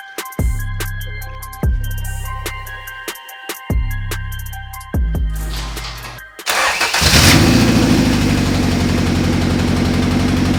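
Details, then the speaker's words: First start of a B18C Type R engine swapped into a 1988 CRX Si: several cranking bursts, then a lumpy, stumbling idle that sounds like knocking. It is a misfire. "You probably heard that misfire that was going on. It really sounded like a knocking situa"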